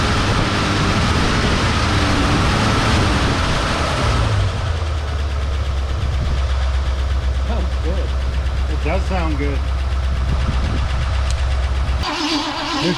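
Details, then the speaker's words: Long-abandoned 1971/72 Ford Mustang V8: rough cranking catches, then settles into a steady, even low idle rumble with no knocks; healthy runner. "just going to sit there and idle now because I don't have any Keys you know the steering column's locked"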